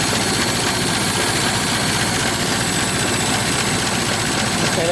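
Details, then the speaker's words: Ford Model T four-cylinder after cold start, idling at minimum throttle with spark about half retarded: slow, loose idle with soft uneven beat under some rattle; sounds healthy. "that's running at um that's currently running at um minimum that's idling but it's uh about half spark now"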